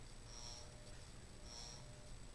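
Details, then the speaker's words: 56-inch Canarm industrial ceiling fan from the mid-1990s, well-used, on a 5-speed control running forward at second speed: low, rough hum with a slow, uneven swell about once a second; it runs noisy, also has vibration issues, cause unconfirmed. "as you can hear it's very noisy because it's a well-used"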